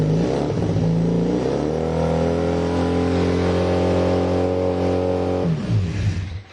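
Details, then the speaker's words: Kawasaki KZ440 single-carb bike: holds steady on choke about five seconds, then with choke off the note sags, stumbles and dies; owner suspects clogged pilot jet, carb to be dismantled and cleaned. "that's what happens when we have no choke and she was running so good"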